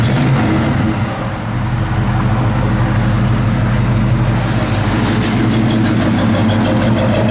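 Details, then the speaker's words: 1972 Chevrolet C10, 454 big block, 600 miles since frame-off restoration, with Holley 4-barrel, factory manifolds and H-pipe dual exhaust. A deep, loud even V8 idle with a quick throttle blip and no knocks: a healthy idle and rev. "that truck sounds good, man. Backup lights work. Bad little big block right there, man."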